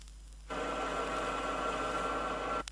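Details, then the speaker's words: Rear axle hypoid gears, pinion moved out 0.002 inch at a time, demonstration not as heard inside a car; steady mid-pitched harsh whine holding for two seconds, axle noise from improper pinion depth. "I think it should be stressed that these gear sounds are not exactly the same as the sounds that would be heard inside a car they merely demonstrate how improper pinion depth setting will create axle noise is"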